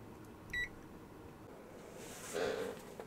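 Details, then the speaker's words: PlayStation 2 Slim board damaged by bench PSU overvoltage: one sharp continuity beep shows the main power rail is still shorted after a shorted capacitor was removed. "Take this one off, and I'm going to see if it removes the short. So I've still got a short there."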